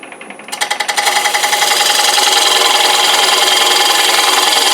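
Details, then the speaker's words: Parting tool cutting deep into hard maple on a wood lathe while turning a bowl from a flat board: harsh hissing cut with steady chatter three or four times a second; tool labouring and struggling in the cut. "You're going to hear it struggling just a little bit."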